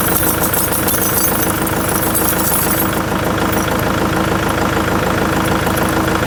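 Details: Kubota MX5800 tractor diesel idling after ignition switch replacement: even clatter, regular firing with no misses or stumbles. Fixes months of the dash dying on cranking and the engine cutting off.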